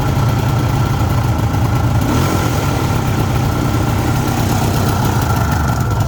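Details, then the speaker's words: 1974 Suzuki GT750 two-stroke, renovated about five years ago and little used since, started completely cold (not run that day) with choke on: steady, busy, even burble with no knocks; normal healthy cold-start idle. "i'll turn the ignition on as you can see it's absolutely cold not been started up today all you do is put the chalk on and"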